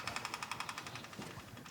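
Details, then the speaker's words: Custom hot rod (Space Junkie) with dual carburetors, first start after reassembly: rapid light ticking about ten a second on key-on, fading as the electric fuel pump primes and builds fuel pressure. "What? Hear that? It's the sound of fuel pressure."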